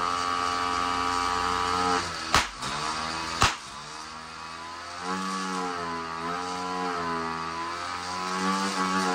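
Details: 66cc bicycle-kit two-stroke engine running on hydrogen via a hydrogen carburetor at standard timing: uneven buzzing with two sharp pops about a second apart, backfiring through carburetor and exhaust because ignition timing needs retarding.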